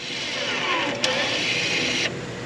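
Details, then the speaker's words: 2017 Audi Q5 rear brake job: scan tool commands rear electric parking brake calipers closed; brief high motor whir stopping sharply at the stop, then backing off slightly; normal operation, warning light out. "it hit the stop then it goes back a little bit once again we wait 30 seconds the warning light is now out not flashing"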